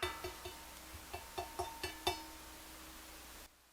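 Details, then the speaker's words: Budget Angels Horn belt-drive turntable, under $200: sharp taps on the platter each leave a sustained metallic ring; an undamped platter resonating, damping material underneath suggested. "it rings for like a while"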